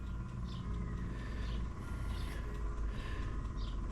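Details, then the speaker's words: Engine on its third carburetor, with timing found 180 degrees out: low uneven rumble that sounds lean and starved; owner suspects the needle valve and float are stopped up, so fuel isn't getting through and it only runs while a manually filled bowl lasts. "The needle valve and the float and stuff or something stopped up in there. It's not allowing the fuel to get through."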